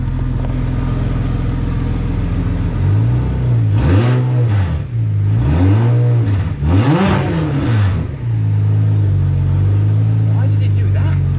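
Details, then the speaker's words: BMW 335i N54 converted to single turbo, first start, throttle blips: rough raspy blowing roar swelling with each blip; exhaust leak because the turbo is not sealed onto the manifold, coolant also leaking. "That sounds angry. That sounds really angry. Okay, so we have got a major problem. The turbo is not sealed onto the manifold."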